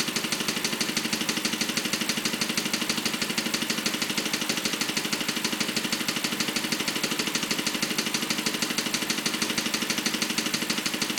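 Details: BMW 545 V8 at idle making a steady light clicking about three times a second, in time with the engine; source unknown.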